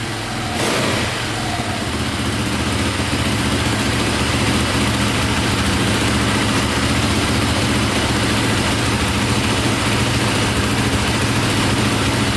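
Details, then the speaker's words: KTM 450 single-cylinder dirt bike, likely dual sport, just after carburetor fix: fires cleanly and settles to steady even idle, no misses or stumbles; owner suspects one-way bearing for a click at shutdown; normal idle and revving. "wow what's good so far see if she fires right back up sounds good"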